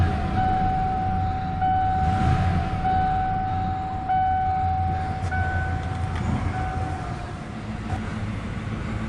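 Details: Truck that would not start, after removing and replacing the starter with the battery reconnected: engine catches and settles into a steady low rumble with an even beat, no grinding or clatter from the starter; runs normally.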